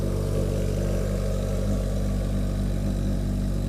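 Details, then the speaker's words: 1981 Yamaha XS1100 Midnight Special just after a cold start on choke: steady, even low burble, all four cylinders firing and hot, burning clean before the smoke begins; normal idle. "it's burning clean right now sounds good it's running on that's running on all four those are all hot"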